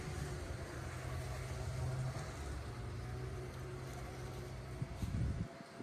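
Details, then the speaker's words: Polaris 500 Widetrack snowmobile, first start in about six months after plug check and fuel added, boosted dead battery; steady low drone running evenly with no misfire or sputter before shutting off; normal running, fluids fine. "I'm just blown away that it started so fast we're going to go give it a test [Music] run"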